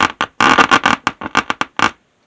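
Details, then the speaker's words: 1960s Lafayette LR500T 60-watt transistor stereo receiver, right channel with constant low rumble: short harsh crackling bursts only while the bass control turns, only in one channel; owner suspects a dirty tone control pot. "it's just really noisy and just in one channel other channel it's not like that so maybe we just have a dirty control here"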